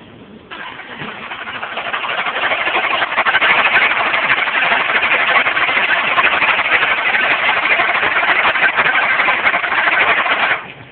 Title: 2010 Dodge Charger no. 5 intake valve misfire